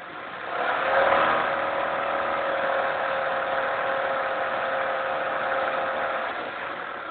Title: Ticking Sound from the Engine